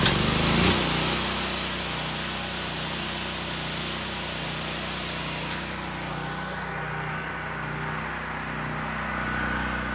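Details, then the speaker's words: Generac GP6500 generator with the COSense module disconnected after starts-but-won't-stay-running trouble: smooth, even drone at steady speed with no surging or dropouts; runs fine now, but the switch can't stop it. "all right so as you can see the generator works just fine now that we got rid of the safety Sally business"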